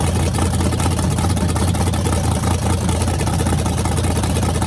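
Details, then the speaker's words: Freshly rebuilt small block Chevy 350 V8 with headers, on a homemade run stand with a fan cooling the radiator: deep, lumpy rumble with a steady firing beat and no knocks or ticks. Running clean. "looking good and this thing sounds mean as can be so I'm just excited to uh be able to let you guys hear it"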